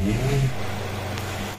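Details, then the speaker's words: 2004–2006 Ford Escape 2.0 automatic that stalled in traffic with check engine light; after crankshaft sensor wire repair, engine starts in one click, settles into steady even idle, no shake or misfire, no check engine light. "yun umaandar na Oo maganda naman andar walang nginig walang palya"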